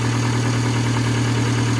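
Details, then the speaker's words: Land Rover Discovery Sport HSE diesel after new turbo fitted, old turbo rubbing on its casing: smooth, even idle with steady low drone, no rubbing, scraping or whistle; normal turbo sound. "So that's normal, completely normal turbo sound now. So obviously it was that rubbing on that casing."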